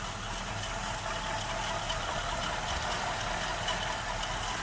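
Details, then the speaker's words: Original 1977 AMC AMX Hornet barn find, recorded under the hood: starts easily and runs quietly and steadily with a rev, only a faint light patter; nothing points to a fault. "We'll start it up real fast, and you can hear it running underneath the hood. It starts up really nice. You can hear it rev up."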